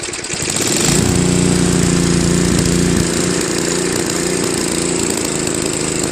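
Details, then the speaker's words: Tecumseh Snow King 5.5 hp 195 cc engine on 24-inch Craftsman Trac-Drive snowblower, carb gummed after a year's storage then cleaned, leaking bowl gasket: the engine still hunts and sags slightly at low idle. "so that's pretty good but it's still kind of searching a little at low idle"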